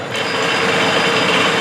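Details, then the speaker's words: Three-phase squirrel cage induction motor on a trainer kit, started in star connection at 230 V per coil: kicks on and spins up quickly to a steady even hum. Starting current about 7.5–7.8 A, running current 1.08 A. Healthy start. "Star ಕನೆಕ್ಷನಲ್ಲಿ motor run ಆಗ್ತಾ ಇದೆ. 7.5 ಆ್ಯಂಪ್ಸ್ ಸ್ಟಾರ್ಟಿಂಗಲ್ಲಿ ತೊಗೊಂತು. Running current 1.08 ಆ್ಯಂಪ್ಸ್ ತೊಗೊಂತು."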